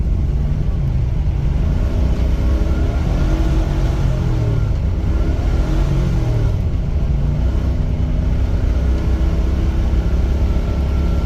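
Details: Chevy Caprice after new injectors, cruising: a steady, even engine rumble under road noise with no misses or stumbles. It runs smoothly.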